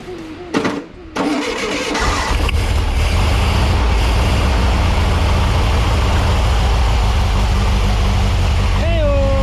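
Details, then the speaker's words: VW 1641cc engine for an oval Beetle, first start on a bench stand: it cranks, catches, and runs loud, smelly and ragged at a fast uneven pace. It won't settle to an idle because timing and carburettor are still unset. "well she's a runner uh she stinks she's noisy she's an idol and uh it doesn't idle so that's uh it's about perfect success"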